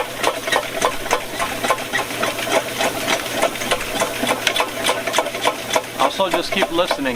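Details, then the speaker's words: VEVOR 75 ft x 1/2 in auto-feed drain snake cleaning a drain: quick, fairly regular clicks about three or four a second over motor hum as the cutter nears the end and taps around inside the pipe; drum nearly full. "guys because you can hear when that when that cutter starts getting closer you can start to hear it clicking around in the drain"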